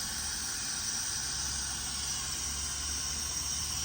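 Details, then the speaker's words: Truck air system: a steady, high, airy hiss with no engine running. Compressed air is escaping from a second chafed air line, found after the first rubbed line was cable-tied. Compressed air leak. "Why can I still hear air? Oh, I thought I could still hear air. I found another blooming one."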